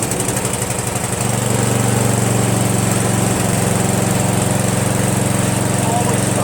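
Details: Craftsman push mower with a 158cc Briggs engine, after carburetor cleaning, a new diaphragm gasket and a fabricated replacement governor spring. It catches quickly and settles into a steady, even drone with no misses or surging.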